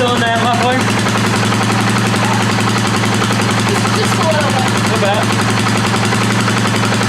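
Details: 2018 Polaris Sportsman ACE 570 single after rebuild following mud flooding, first start: quick, even popping settling into steady idle with no knocks or misses; sounds pretty good, a little moisture still present.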